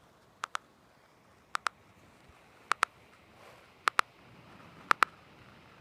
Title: MSI GS60 Ghost Pro 3K Ticking Sound Problem